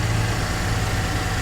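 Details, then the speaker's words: Salvage Kia K900 with GDI V8, flood car sitting since May, jump-started, heard under the hood: quiet, steady idle with smooth low hum, no knocks or ticks, no warning lights; normal idle. "take a look under the hood see what's going on under there so it is nice and quiet"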